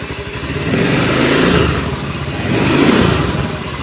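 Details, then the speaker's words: Honda Beat eSP scooter running raspy and clattery, swelling with throttle blips; rough engine sound, wet black oily exhaust and heavy smoke, pointing to worn piston and rings. "Ini dengan kendala yaitu suara sedikit kasar ya bagian mesin, dan di bagian knalpot itu basah ya."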